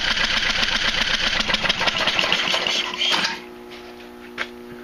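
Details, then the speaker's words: Craftsman Hydromatic mower with a 15.5 hp Briggs & Stratton OHV, flooded engine, cranked with spark plug out and coil firing: rapid wet chuffing crank, about four beats a second, spitting fluid; owner suspects thin oil, not gasoline, in the cylinder. "So yeah, there was definitely something all through the inside of the engine. I'm pretty sure that it's some sort of really thin weight oil, because it doesn't smell like gas."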